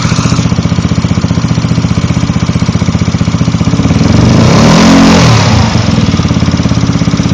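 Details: Yamaha Zuma 125 scooter idling with throttle blip; quick light tick on each firing pulse from fan area or just behind it; owner suspects cam tensioner or lightweight fan; ticking noise.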